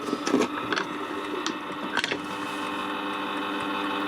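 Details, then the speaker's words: Warburton Franki WF 2 E motor-driven timeswitch running on test: steady motor hum with a dry, buzzy whir and light clicks; not seized but sounds dry, suspected to need greasing. "this is a bit of a loud one it's not seized but it might need a bit of a greasing it just sounds dry"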